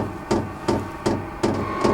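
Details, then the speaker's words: Vevor 12V 5kW diesel air heater fitted to a Baja Bug, at startup: sharp, evenly spaced clicks about every third of a second as the fuel pump starts metering diesel before combustion. Normal operation. "hear that ticking that's that fuel pump starting to Pump Fuel into it hopefully it'll start combusting here soon"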